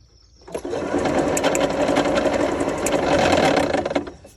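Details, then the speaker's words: Old 1989 golf cart engine that quit with a red warning light; starter spins it fast and even with no compression puffs; owner suspects a broken plastic crank gear, unconfirmed; cranking with no compression. "no compression so I am guessing it may be that gear"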